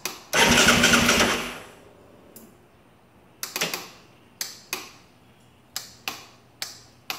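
One brief burst, then single sharp clicks roughly every half second with no cranking; solenoid clicks but starter won't turn.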